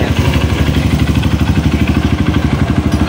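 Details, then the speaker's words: Honda CRF150 after oil-starvation rebuild, idling; rough, uneven rattle pulsing about three times a second, noise located on the clutch side of the engine. "Yan itong umingay na to panday ito sa clutch side."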